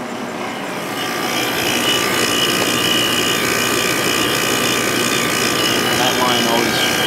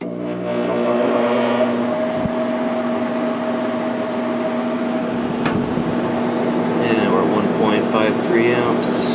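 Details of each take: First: 1997 Sharp 8500 BTU window air conditioner, compressor running a few minutes after start-up on high then low fan, about 4.6–5.4 A and 450–600 W; steady high metallic ringing over compressor hum and fan rush, which it always does shortly after start-up. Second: Sharp window air conditioner, fan motor with replaced ball bearings (originals were shot, oil didn't help), running on high speed: steady hum and even airflow, no growl or squeal, healthy bearings.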